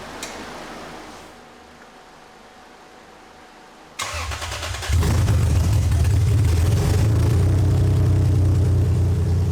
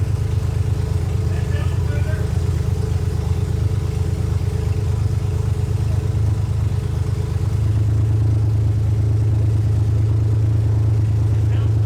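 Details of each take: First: 2001 Lexus IS300 after clogged catalytic converters were replaced with an aftermarket header: cranks, catches and settles into a low idle with an uneven stumble, fuel popping out the header; misfire, possibly more than one cylinder. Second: 2001 Lexus IS300 after replacing clogged catalytic converters with an aftermarket header and cat-delete O2 adapters, chasing a cylinder 3/4 miss: steady low idle, fairly even with a slight lift partway through and no obvious stumble; idle much improved.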